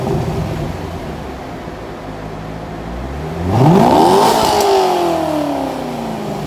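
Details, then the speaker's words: 2001 C5 Corvette Z06 with about 30,000 miles, bone stock exhaust before a Magnaflow cat-back install. Even low idle, then a clean blip that rises quickly and falls smoothly back to idle; a healthy stock V8 exhaust. "this is a bone stock one z06 and we're gonna fire it up and see how it sounds at idle give it a few revs and then we'll see what it sounds like when it's uh all finished and complete"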